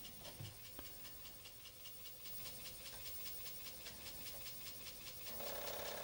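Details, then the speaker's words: Commodore 1541-II disk drive on a Commodore 64, hanging while loading: fast uneven ticking rattle two or three times a second, then a louder buzz; abnormal mechanism noise, owner suspects drive, disk or a C64 CIA chip. "doesn't look good oops this sound is also not good so I guess this is not going to work"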